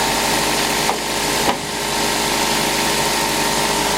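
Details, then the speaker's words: Mitsubishi Lancer (KE70 also owned) started after sitting a week, cold idle before a service: loose, uneven rattle over the engine with no steady beat plus a couple of handling knocks; quite rattly, cause unclear, service due. "But yeah, I just need to service it, because obviously you can probably hear that it's quite rattly on this."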